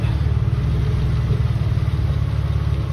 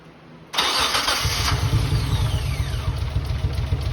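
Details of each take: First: Mitsubishi 3000GT VR4 new engine after injector fix: steady even low idle on all six cylinders, no misses, knocks or ticks; engine sounds healthy. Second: Mitsubishi 3000GT VR4, new engine first start, converted to crank and cam position sensors, old cleaned injectors; owner hopes they free up once warm: catches and settles into a lumpy, uneven idle, only some cylinders firing. Misfire from stuck injectors.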